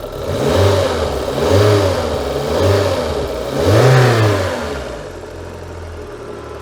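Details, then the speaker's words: Citroen BX 16V after fixing the leaking fuel pressure regulator that was over-fuelling: four clean throttle blips rising and falling smoothly with no stumble or knock; engine running healthy. "Yeah, she's very happy now. That feels lovely. Right. Well, some time has passed and she is running like a sewing machine."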